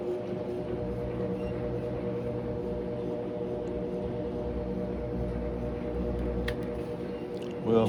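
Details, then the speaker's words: Crosley (GE-like) washer after control board, motor pulley and belt replacement, tested on drain and spin: steady, even motor hum with smooth spin, no knocking or grinding; draining and spinning normally. "But um let's plug it up. Just put it on drain and spin first and just see what it do."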